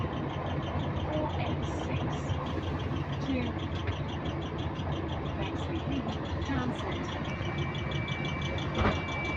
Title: Repetitive Clicking Noise In Sync With Engine Speed | GAL WVL358 On Bus Route 486 (2)